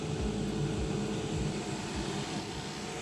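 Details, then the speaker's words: Rosefinch 6.0 kW drone tether power station just after AC grid power is switched on, battery charging: steady, even whoosh of cooling fans with constant low hum, no rattle; the no-AC alarms stop and the fans run normally. "Okay, now connected with the AC, we can hear the fan, cooling fans working, and the alarms go away."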